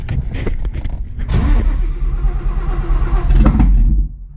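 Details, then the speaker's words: Widebody Fox Body, cammed built Coyote V8 with ported Boss 302 heads and Whipple Cobra Jet supercharger, cranking hard on a jump box: ragged firing bursts nearly catch then die; owner suspects odd ignition timing or needing more fuel. "it's so close but it sounds soing Rowdy I think uh the timing maybe ignition timing is weird I don't know but it also seems like it needs more fuel"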